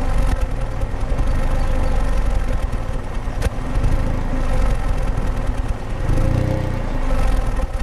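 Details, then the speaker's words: 2008 Pontiac G5 2.2L Ecotec, 244k miles, new plugs and coils, P0300 code, heard at tailpipe at idle: uneven irregular puffs with RPM drifting up and down, occasional cylinder 4 misfire, smooth under load; intermittent idle misfire. "the RPMs are kind of going up and down it looks like cylinder four what's the deal"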